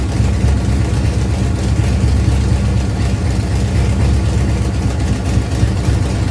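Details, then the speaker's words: Ford Pinto drag car after Holley carburetor rebuild idles on its own with a deep, even rumble, no hunting or misses, after backing off the over-tight secondary throttle stop; normal idle. "guys so now it's actually running on its own I realized that I had the throttle stop for the secondaries a little too tight"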